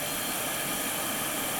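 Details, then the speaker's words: Riccar or Simplicity vacuum that stopped suddenly, restarted by pressing the motor's thermal reset button while plugged in: loud steady rushing whir, even airflow, no surging or rattle; normal running. "Basically, we'll press this little reset switch. If it's not plugged in, you'll hear it click. If it is plugged in, it'll just start running."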